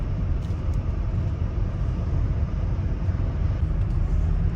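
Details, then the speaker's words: Volvo V70 on an uneven road after strut top mount (Domlager) replacement: steady low road rumble from inside the car, with the earlier clunks and rattles over bumps gone. "erstmals angeguckt hat habe ich das Geräusche auch gehört gehabt ich finde das ist jetzt weg also doch ein richtiger Tipp"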